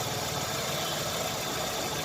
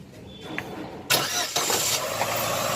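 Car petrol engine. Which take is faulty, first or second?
first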